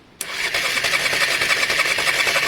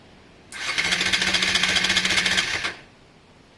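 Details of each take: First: Honda Varadero 125 cranking on the starter before fuel is added, first start attempt: quick, even whirr with steady, evenly spaced compression pulses and no dragging; healthy cranking compression. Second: Honda Varadero 125 first start attempt after sealing an intake air leak: two cranking bursts of about two seconds, steady fast churn that never catches; no start, plugs then checked, gap found very wide, spark in question.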